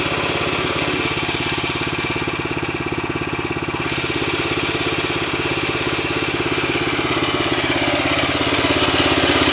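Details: New MTZ tractor: steady pulsing engine beat with a rough mechanical hum from the transmission riding over it; noisy gearbox.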